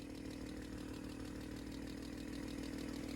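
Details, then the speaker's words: 1995 BMW M3 six-cylinder, cold idle: a fast, light puffing tick on the exhaust note from a leak around the exhaust manifold; a slight lifter tick is also suspected. "And definitely an exhaust leak right around the manifold."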